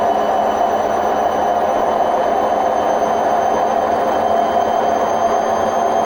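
Loud, continuous roar with a steady whine riding on top through the spin; this points to worn drum bearings.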